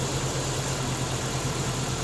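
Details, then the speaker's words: Jeep XJ just after exhaust manifold replacement: steady, smooth low idle with no exhaust ticking or puffing, much quieter than before; some smoke from water on the exhaust wrap; normal running. "it runs way quieter than before"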